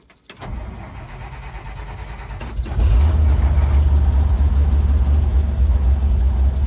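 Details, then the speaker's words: 1956 International S-160 4x4 started on choke with electric fuel pump: catches, then a lumpy, uneven low rumble that never smooths at idle; truck also runs hot. Owner suspects a vacuum leak, likely a worn carburetor throttle shaft. "This truck has never idled well and it runs hot."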